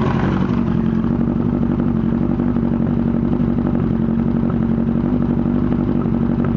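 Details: 1998 Yamaha R1 after an accident, idling: uneven loose clattering knock mostly from the engine's right side, with some exhaust backfire; owner suspects cam chain sensor, clutch basket or valves, origin unknown.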